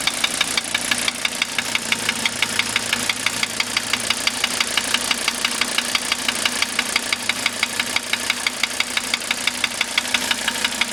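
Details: 1985 Mercedes 300D diesel idling after starter rebuild, valve adjustment, new glow plugs and diesel purge: sharp, evenly spaced ticking knock about ninety times a minute over steady idle; cause of knock unknown.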